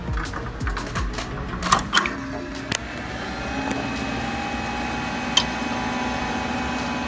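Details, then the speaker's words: HP Pavilion 7905 estate-sale desktop at power-on: a few startup clicks, then a constant loud whir with steady high tones, barely quieter with the side panel on; owner suspects the power supply fan, then maybe the CPU fan. "it's pretty loud. Even with the side panel on, it's not that much quieter. It's pretty loud. I think the power supply fan is the reason why it's on. Actually, no. Maybe it's the CPU fan."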